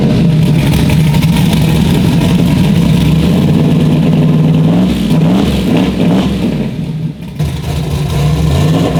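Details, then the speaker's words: Turbo Nova with Holley fuel system, base fuel pressure lowered to 40: idles with lumpy rough run but stumbles and nearly cuts out when throttle blipped, going lean. "I changed the bass pressure in the Holley down to 40. that's what we just uploaded in there and it'll idle but as soon as you try to give it any gas it's going lean it's not happy"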